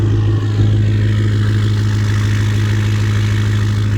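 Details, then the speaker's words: Ford 6.0 Powerstroke diesel after replacing the faulty aftermarket standpipe, torqued to 60; catches after a long crank, then a deep steady even idle with no stumbling; normal idle after repair. "Alright, so she's running. She's alive again."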